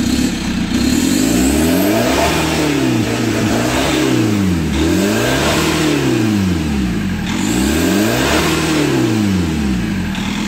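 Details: Chevrolet Captiva NFL AWD (latest generation), after cleaning, repair of turbo, CMP, MAP and P089 fuel-pressure faults and an oil change: repeated blips from idle, pitch rising and falling cleanly, crisp response, no knocking; healthy. Smoke in the engine bay is leftover cleaning agent.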